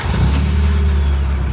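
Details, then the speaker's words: 3rd-gen Honda Prelude, testing a newly installed fuel pump kill switch with the switch not engaged: engine catches at once and settles into a steady, even idle; clean normal start. "Okay, so the car turned on there, so I'm assuming the switch is not active right now and is not engaged."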